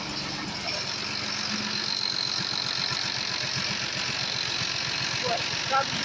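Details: Tractor with a starter engagement problem, once started: diesel settles into an even, steady idle with about three firing pulses a second, running clean after starting.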